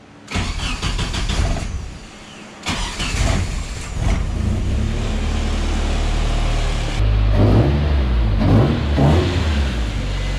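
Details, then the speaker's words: Nissan KA24DE engine swapped back in place of SR20DET, first start at 42 psi fuel pressure, no radiator or coolant yet: cranks in short bursts, catches, holds steady low idle with throttle blips; runs clean, sounds good. "obviously it runs it sounds good we just finished bleeding the clutch"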